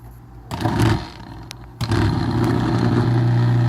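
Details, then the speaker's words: Maytag Neptune MAH4000AWW washer drain pump (120 V AC, 40 W) after servicing for a terrible noise, bench-tested on direct mains power: steady low hum with no scraping or rattle, running smoothly and quietly. "good pump works nice and quiet"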